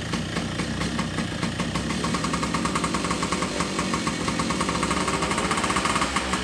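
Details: 1976 Sprint V motorcycle engine, second start after a rebuild with replaced piston after a seize: steady, even firing with a soft, lumpy exhaust note, running rich because the carburettor was set up with an air leak.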